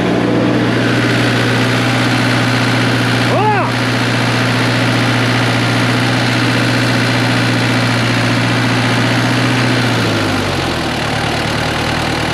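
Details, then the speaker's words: JLG lift diesel engine, injectors reinstalled after suspected bad injector and blown engine: steady, even idle with smooth low thrum, no knocks or misses, revs then settle lower; runs like new. "I it runs like a brand new one it does we don't have a clue what we're doing but it worked out great"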